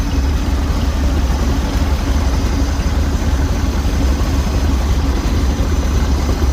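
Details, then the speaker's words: 1969 Jeep Jeepster Commando with a new battery, cold engine at idle: a low, steady, even pulse with no knocks or misses. It is slow to settle ("cold-blooded") but runs healthy. A loose hanger was noticed; normal idle. "A little bit cold-blooded. See if we can get it to idle down here. Yeah, don't want to idle right now. It will in a minute."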